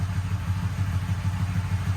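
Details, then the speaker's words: Motorcycle after repaired starter clutch and stator, charging about 14.16 V, warmed up: steady even low thump at idle with no misses, clatter or surging; normal, smooth idle. "now that we know that the uh proper voltage is running through the system it's idling beautiful"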